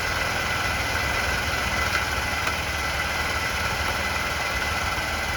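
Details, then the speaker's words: Honda Elite 80 (CH80) scooter, first run of a $200 non-runner: steady even little four-stroke idle with no rise in speed; throttle doesn't work, owner suspects this is part of the issue. "The throttle doesn't work though. Maybe that's part of the issue. Huh. That's weird. It's like there's no throttle, so at least it runs."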